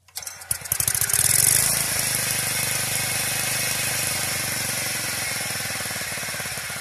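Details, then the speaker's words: Old Wisconsin industrial reduction engine from a cement mixer, carb cleaned of rust: catches and settles into an even chug with a dry metallic rattle. Owner suspects the reduction chain drive needs oil. "guys it's sprinkling but I achieved the goal she does start run sounds like the chain drive on that reduction need some oil though so I don't want to run it very well"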